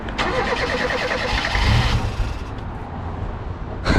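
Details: Reliant Rialto that won't start: with the fuel lines pulled off, fuel poured into the carb lets it crank and catch briefly at full throttle with choke out, then die; the pump isn't delivering fuel to the carb.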